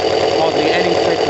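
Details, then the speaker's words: Kawasaki ZL600 four-cylinder motorcycle with new coils, tuned carbs and valves done; not warm, idling just over 1000 rpm, fast smooth patter without misses or knocks, air suction valve not blocked off: normal idle. "at all it's smooth that's and that's with the suction valve not blocked off"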